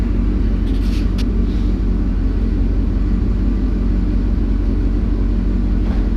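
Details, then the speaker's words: LS2 V8 with about 112,000 miles on 5W-30 oil: after shutdown a steady low electric buzz hums evenly with no firing beat; it is the oil pump running on, which is normal. "and that buzzing was the oil pump running after I turned it off"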